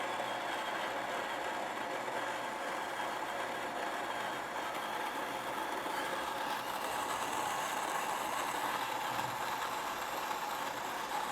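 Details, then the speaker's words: xBloom coffee machine grinding beans: even, steady gritty whir through the burrs with no knocks or labouring, continuing briefly after beans run out because a load sensor, not a set gram weight, detects grinding has stopped; normal. "uh over grinding and that is because um it it isn't something you set in the app how many grams you're putting in this just has a sensor inside of it that tells um essentially the computer that the grinder has stopped grinding coffee"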